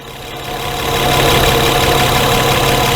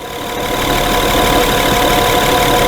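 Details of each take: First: 2011 Honda Pilot hot idle, intermittent stalling: idle climbs and swells in loudness over the first second, then holds high and uneven; injector on-time jumps from 2 to 9 ms during the surge, traced to a magnetized crank trigger wheel. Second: 2011 Honda Pilot idling after repair of intermittent hot surging and stalling, run over 3 hours and crank trigger wheel demagnetized: steady, even idle hum with no hunting or dips in speed; holds its speed smoothly.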